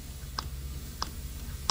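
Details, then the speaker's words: Honda ATC three-wheeler carburetor, after carb replacement: three sharp little clicks as the throttle snaps shut, the slide dropping and bottoming out cleanly each time, the little pop you want; normal carburetor slide click, no wide-open-throttle sticking. "i want you to listen for the carburetor slide you can see it going up and down in there probably hear that little pop that's what you want"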